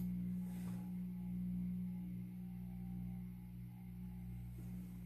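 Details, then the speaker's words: 52-inch Supreme Fan Mark III ceiling fan at low speed: steady, very loud low electrical hum with ringing tones; variable speed control faulty, jumps to high; owner suspects bad speed controller causes the noise, unconfirmed. "I guess the only downfall is that it's very, very noisy on low speed."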